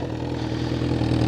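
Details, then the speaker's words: Honda CBR1000RR Fireblade idling: light metallic clatter on the exhaust note; owner suspects the internal exhaust baffle, possibly a loose clamp, not yet inspected. "might be the baffle here or it could be loose clamp here so I'll get out up on some padic stands and have a look at that"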